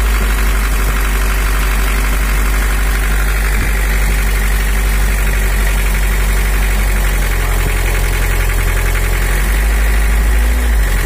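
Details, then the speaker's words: Toyota HiAce LH11 (1984) diesel with overheating complaint, just started cold, injection pump setting turned fully to maximum: idles too high and harsh with hard uneven clatter; high idle from misadjusted injection pump, to be returned to standard. "terlalu tinggi, terlalu tinggi. Oke, teman-teman, mesinnya sudah hidup, baru saja dinyalakan, tetapi suaranya terlalu kasar menurut saya, tetapi kita akan menghaluskannya nanti."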